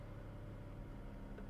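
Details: Used car at public auction, about 139,000 miles, no check engine light: low uneven idle with slightly lumpy unsteady beat; rough idle, cause not yet known.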